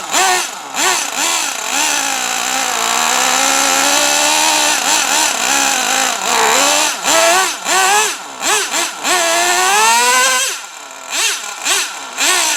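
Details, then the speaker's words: Traxxas T-Maxx 3.3 nitro RC truck after 8+ years stored, very cold out: high-pitched buzz rising and falling cleanly with throttle blips, no stumbling; runs nearly perfect, spins all four tires in second gear. "they start it up and it runs damn near perfect snow after spins all four tires just second gear like like it's brand-new"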